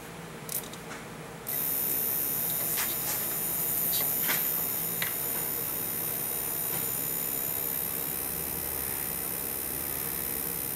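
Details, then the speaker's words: 1985 VW Cabrio with Bosch CIS K-Jetronic injection, which runs very rich then dies and won't restart; injectors out for spray testing, fuel pump jumped, giving a steady electric hum and thin whine as the frequency valve buzzes normally. "I'm gonna jump power to the fuel pump you'll hear the frequency valve buzzing and then I'll lift up on the mass air flow sensor vein and we'll see how it sprays"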